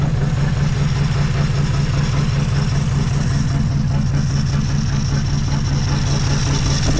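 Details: 1963 Plymouth Belvedere, sitting since 1978, just revived: a steady low idle with a faint uneven lope. The owner believes plug wires 5 and 6 were swapped after cleaning the points, making it idle slightly rough.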